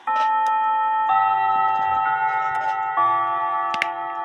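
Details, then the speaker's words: Repaired 1917 Junghans German mantle clock, movement back in case after a week ticking; clear ringing chime notes in steady sequence as the quarter-hour chime kicks in, silencer open, normal chime. "so let me show you the chimes kicked in the warning quarter of our"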